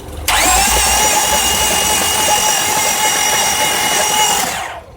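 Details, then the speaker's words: 2000 Honda Odyssey driven through 3 feet of floodwater, with water in the oil. Cranking with spark plugs out and fuel cut gives a fast, light, even whir with no compression pulses as water is expelled from the cylinders. "Hold that tab in there, pull that down, and now no more gas getting into the spark plug chamber as I continue to crank this engine over and try to flush out the water and excess gas that's in there."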